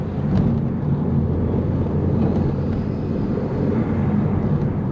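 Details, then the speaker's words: Audi TT Mk1 BAM 225 turbo, driving in gear at about 10 psi after replacing the N75 valve: deep steady drone pulling hard with no stutter or cut-outs; no longer breaking up under boost. "10 PSI. So it's no longer breaking up. It must have been the N75."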